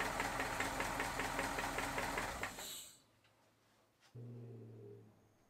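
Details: 1950 Cadillac V8 running with a steady, regular knock about four times a second before shutting off; rod bearings, valve train and oil pump already checked, and the owner suspects a loose or broken flex plate or flywheel.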